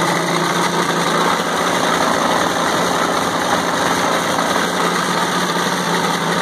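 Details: WWII Caterpillar RD4 bulldozer, first start in 20 years after retrieval from a canyon (runs but won't drive, clutches seized): steady, even diesel rumble at constant speed with no knocks or misses; runs smoothly, normal running.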